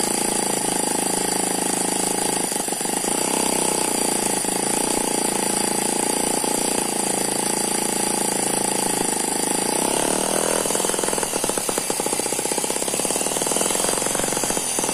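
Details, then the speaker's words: Eachine ET9 (M15) mini single-cylinder gasoline engine with twin internal counterbalances, sitting on a tarpaulin: fast, steady buzz with no misses or knocks, slight turbo-like gear noise; normal smooth running. "that's a very smooth running engine it does not dance around the main vibration here is because it's on top of this this tarpaulin"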